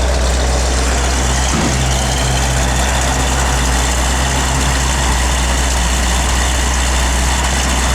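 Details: Restored 1971 Plymouth Cuda, matching-numbers 340 V8 with 4-barrel, 727 Torqueflite automatic, dual exhaust; steady low burble at an even pace, one brief thump early, no ticking or knocking; clean, healthy idle.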